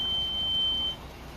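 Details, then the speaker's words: 2010 Kia Soul brake squeal, pads still with plenty of life: a thin, steady high-pitched squeal over low rolling rumble. Fix: sand pad faces and edges, apply anti-squeal to pad backs, clean and lube slide pins with silicone. "here's how to fix squeaky brakes when your pads are still good"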